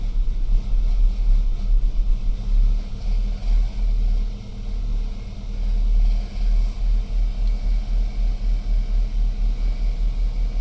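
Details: BMW E92 320i with the N46N petrol engine, long troubled by rough idle on cold starts: the cold engine idles with a low, fairly even rumble and no stumbles or misfire hiccups. Smooth cold idle.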